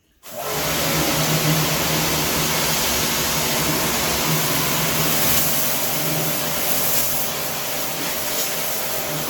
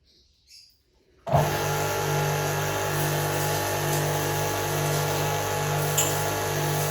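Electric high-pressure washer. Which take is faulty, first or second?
second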